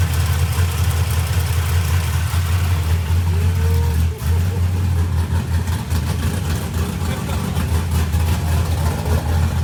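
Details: Fresh small-block Ford 427 Windsor V8 on first start, timing unset, near-solid-roller hydraulic roller cam with limited-travel lifters: deep, choppy, uneven idle loping a bit under two beats a second; rough by design, running fine.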